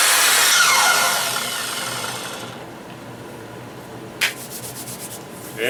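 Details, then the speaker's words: 12-inch Makita miter saw after a motor bearing rebuild (it ran rough before): bright, even motor whine that winds down smoothly after release, with no rough or scratchy edge; the motor seems to sound as it should. "how it's supposed to sound I guess"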